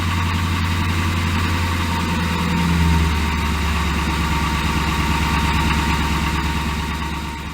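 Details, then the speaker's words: 1985 Ford Mustang SVO engine idling: dull hollow knock over low rumble, piston slap still present after Valvoline Restore & Protect oil, maybe slightly quieter, possibly due to warmer temperatures. "starting with my recording of piston slap it's still there but it might be slightly"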